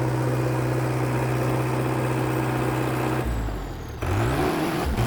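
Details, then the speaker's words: Dresser TD8E International Harvester bulldozer diesel just after fuel filter replacement settles into a low, steady idle with an even beat and no misfire or knock, without the earlier "helicopter" sound; the owner thinks the new filters fixed it. "Okay, I think the fuel filters fixed it. it would have been doing this the the helicopter sound already."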